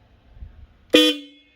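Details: Triumph Street Triple after installing Hella high/low dual-tone twin horns, hot wire reconnected: one short, loud blast with low and high tones together, sounding cleanly; twin horn works properly.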